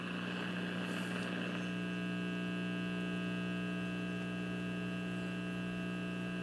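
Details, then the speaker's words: RCA 66X1 radio after capacitor replacement, on a variable supply at about 95–118 V and 170 mA: only a steady low electrical hum with no station or audio; the set has lost its signal, cause unknown. "sure what the deal is I got a hum though going back down to 95."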